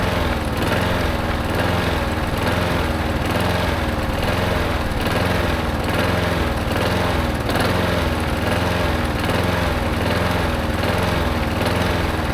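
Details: Yard-sale push mower started for the first time in a long while after fresh fuel and Marvel Mystery Oil: high buzzy single-cylinder drone rising and falling gently about once a second, starting and running on its own.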